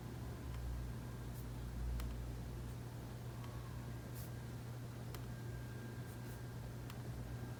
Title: new replacement clicking noise